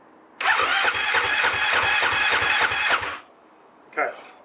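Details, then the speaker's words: Husqvarna FE 501 in cold Victoria, Australia, on fifth or sixth start attempt with 30-second waits, stock underrated battery lacking cold cranking amps; slow labouring cranking about three and a half turns a second, starting to spin faster, never catches; slow cranking, no start. "wait another 30 seconds but i can hear she's starting to spin up a bit faster so maybe on the sixth attempt"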